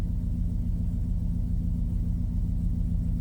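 Steady, even low rumble at idle with a smooth pulse of about three and a half per second; engine sounds healthy.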